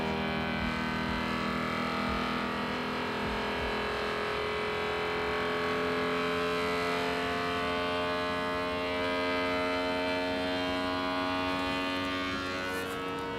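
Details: Voron Legacy 3D printer input shaper resonance sweep, passing roughly 41 to 95 Hz: steady buzzing from the frame climbing slowly in pitch; normal resonance-tuning behaviour.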